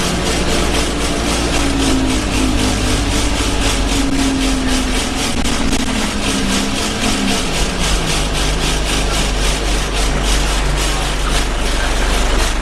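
Steady diesel drone under a rapid, persistent buzzing rattle from the cabin while moving; loose interior panel or fitting vibrating.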